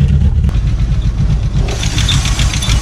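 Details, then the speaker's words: 1986 VW Golf 2 with a 1.8 GX 90 hp engine, stood nearly five years: a deep, lumpy idle that stumbles unevenly with no steady beat, rough running from an air leak; the problem was later fixed. "короче друзья проблема в том что просто подсасывать воздух и сам там брал был на это сантиметр или полтора был прокрученные теперь проблема исчезла"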